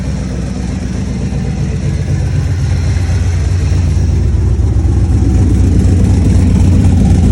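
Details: Engine idling then revving with a steady rapid puffing about four per second over the exhaust note; exhaust leak suspected, not confirmed.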